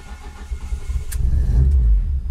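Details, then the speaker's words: Ford ST170 with GSXR 750 individual throttle bodies on ME221 ECU, start while tuning cranking maps: engine cranks and catches unevenly, stumbling and surging low before settling roughly; poor, reluctant start, starting map cause suspected, not confirmed. "that's bad so we're not gonna keep it running like I said I don't want the engine to get hot"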